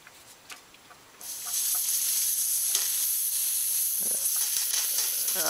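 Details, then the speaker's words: Air bubbling noise at the heater core, worst when cold; engine running as a cooling-system fitting is backed off to let air out: a steady high-pitched hiss starts abruptly and holds as air escapes; air being purged from the cooling system. "I think what that is it's actually air inside the um getting into the heer core so I try um yeah backing this off letting some air out see what happens"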